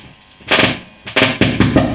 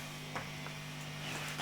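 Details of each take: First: Marshall JTM45 MkII model 2245 guitar amp that pops and buzzes after a few minutes on: loud popping and crackling whenever a sensitive blue wire to pin 9 of V2 is lifted, an intermittent connection. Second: Marshall JTM45 MkII model 2245 valve amp, chassis out on the bench, intermittent popping and motorboating fault not showing: only a low steady mains hum, no throbbing, squeal, motorboating or oscillation. Normal background hum.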